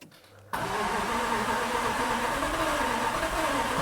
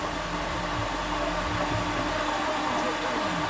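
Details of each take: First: Flood-damaged 2018 Jaguar F-Type SVR, 5.0 supercharged, on its first start attempt with the gauge showing 34% fuel. The starter churns steadily at about three pulses a second for nine seconds without catching; owner fears a bent conrod. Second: Flood-damaged 2018 Jaguar F-Type SVR, 5.0 supercharged, with the starter fuse bridged and all spark plugs out. A steady, fast whirring crank with no clicks or compression beats; the engine turns over freely and sounds okay.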